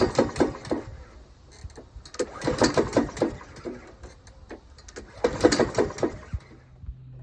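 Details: Honda GVC135 on a Mountfield power-drive mower, first use after winter storage following oil, plug, filter and blade changes: sharp, uneven knocks when cranking with the plug in and lead off. The knock disappears with the plug removed, and the blade sticks every two turns.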